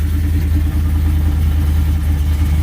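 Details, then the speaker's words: Whipple-supercharged cammed Ram 1500 Hemi V8 at idle right after fitting a new MBRP stainless catback exhaust with five-inch tips: deep, lumpy loping rumble with no rattle or buzz underneath; exhaust tight. "so the main thing is start it off make sure there's no rattling because rattling is what we don't want to hear everything's going to come through the exhaust"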